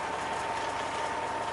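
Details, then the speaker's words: 2002 Freightliner Century with a fully rebuilt Detroit engine, oil pressure just above 50 and temperature around 140: even, steady idle with a constant tone and no knocks or misses; running smoothly. "she's running good she sounds good well pressures down with you just above 50 that's where she should be that sounds good"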